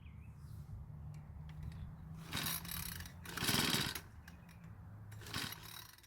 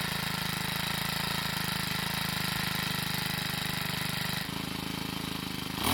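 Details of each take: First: Troy-Bilt 4-cycle edger before repair: recoil pulls, then one short rough cough that quits at once; ignition works and some compression present, fuel system problem suspected. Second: Troy-Bilt 4-cycle edger with a hard-starting problem, running after being primed with gasoline through the air inlet. Fast, even putter with no misses; once running it idles and revs fine. Valve clearances suspected to be off.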